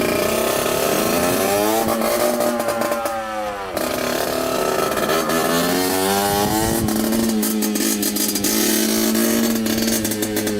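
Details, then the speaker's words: 1989 Yamaha YSR 50 two-stroke, long stored, with carburetor cleaned and running premix, on its first ride: high revs rise, then stumble and drop out twice before picking up. The engine is cutting in and out; owner suspects the exhaust pipe. "all right so it keeps on cutting in and out like that we're going to try to take out the bolt that's holding the pipe on"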